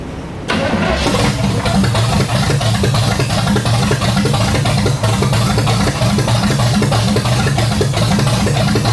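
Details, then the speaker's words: 1986 Chevy C10 with replacement small-block 350, after moving the PCV valve to its correct spot: cranks, catches within a second, settles into a steady, even idle with no misses or knocks. Normal idle. "run it a lot healthier now I'm really happy that was 1,000 times better now that I got that PCV valve in the right spot"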